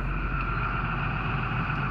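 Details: Diesel engine after replacing the fuel filter pump: steady, even idle with smooth low rumble and no misses, knocks or surging; normal idle after repair.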